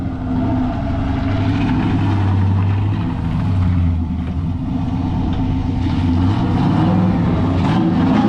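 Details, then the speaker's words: Junkyard 6.0 V8 replacing a burned-up 5.3, bearings checked, after tune: deep, even rumble, no misses, ticks or knocks; healthy, owner notes an intermittent lifter tick from a lifter plunger. "about to load her up D she sounds healthy she looking good"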